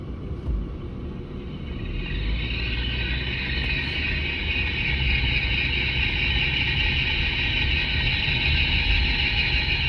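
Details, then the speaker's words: Mercedes W163 ML at 40 km/h, electronic stethoscope clamped on the front differential: steady droning roar with high hiss over road rumble; a noise thought to be a front wheel bearing comes from the front differential. "The noise that I'm hearing going down the road that sounds like a front wheel bearing is coming from the front differential."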